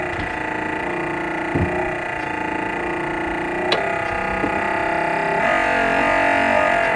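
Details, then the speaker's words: 2nd-gen Cummins truck wiper motor, bolted in with connections made, tested before reassembly: even hum, steady pitch, light rhythmic pulse, no grinding or stalling; normal wiper motor operation. "now before i put everything else together we'll go ahead and test it and make sure everything"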